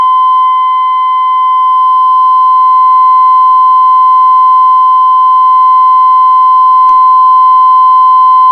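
A steady mid-pitched whistle holds even and strong, swelling slightly early on as the IF trimmers are peaked for loudest tone.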